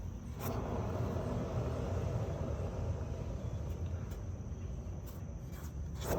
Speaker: Hello, here is the Harbor Freight trailer, and one of the wheels is nice and quiet, but the other wheel, this is the sound that the bearing makes when I spin the wheel.